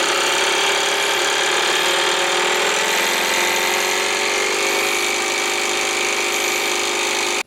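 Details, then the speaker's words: Air compressor with brushed motor on BN-LINK plug-in variable fan speed controller, slowed from highest; loud fast chattering pump, motor whine dropping slightly as speed is turned down, then cuts off; runs normally. "I want you to hear the difference in the sound as we make it slower and slower now there is no practical application in this particular case unless you're looking to reduce the noise"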